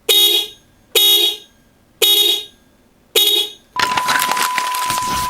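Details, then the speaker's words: Kazito dual low/high Avanza-style car horn fitted to a carbureted Honda Vario Techno 110 with 4-pin relay, replacing a tinny stock horn: four short loud clean two-note honks, crisp and rasp-free; normal dual-tone horn. "Oke ini dia Suaranya klakson double Avanza dari kazito Indonesia guys"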